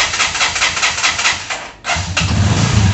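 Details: AKT NKD 125 with high mileage, hard to start when hot after hard riding; rough, uneven cranking bursts stumble and briefly die before a low, shaky run takes hold, traced to a weak ignition coil.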